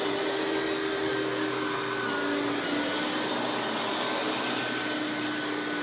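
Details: Hoover PowerMax Supreme 850 S3609 1990s canister vacuum, non-original hose, high speed with power brush on: steady motor roar with high even whine holding pitch, no rattles or surging; runs very smooth, not the quietest canister; normal running.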